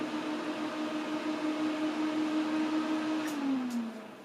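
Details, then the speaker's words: 2008 Mac Pro after months unused, screen going black during boot: steady, loud fan whir holding at high speed, then winding down at shutdown; fans running at full speed during a failed boot. "yeah the fans are now going quicker again i'm sure you can hear that let's just kill that quickly"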